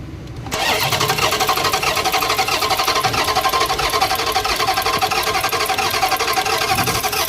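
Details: 2021 Dodge Challenger engine catches after a brief crank and settles into a busy, slightly uneven beat, consistent with a misfire; cause suspected, not confirmed.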